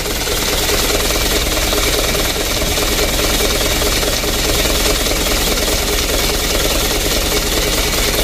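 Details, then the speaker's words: Mitsubishi Canter diesel, hard to start, slow to return from throttle and shaking badly: loud, uneven, clattering idle with a lumpy beat about two pulses a second; rough idle, addressed by adjusting valve clearance. "Kita perhatikan guncangan mesinnya teman-teman."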